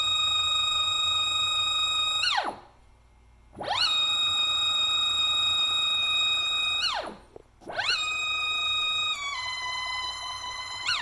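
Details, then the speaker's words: Closed-loop stepper on Stepperonline CL57Y drivers, NEMA 24 5 A motor, Centroid Acorn control, on a resonating workbench, pushed to 2600 in/min at 2600 rpm: whine climbs and drops, then jumps pitch erratically; marks no longer line up, motor stalling and losing steps. "so 2600 inches per minute with 2600 rpm it's not happy and you see our marks don't line up anymore we are losing steps"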